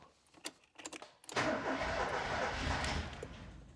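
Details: Ford Escort Cabrio XR3i after injector cleaning and new injector seals: some clatter, then two seconds of cranking with no firing before it dies off. This is a crank-no-start with the engine not getting fuel; fuel pump relay is suspected next, unconfirmed.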